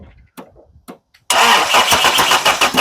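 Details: Vehicle after fuel filter cleanout: steady rapid cranking at about three beats a second that never catches; engine turns over but won't fire, cause not confirmed.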